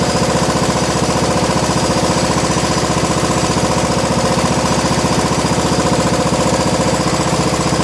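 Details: 1987 John Deere SX75 lawn tractor, battery charger attached, after fuel system work: even steady chugging near four beats a second with no misses or surging; engine running cleanly.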